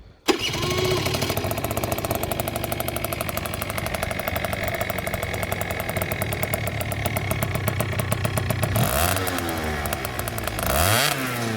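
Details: Two-stroke scooter after re-packing the exhaust silencer with new packing wool, recorded against a wall in wind: starts and settles to a fast, even idle with blips; the exhaust is soft, well muffled and significantly quieter.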